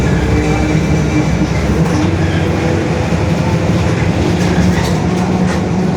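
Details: 2021 Mercedes-Benz OF-1721 BlueTec 5 bus with a Marcopolo Torino S 2018 body, long wheelbase, urban service, driving: a steady low droning growl holding under the engine and road rumble, identified as the differential growling.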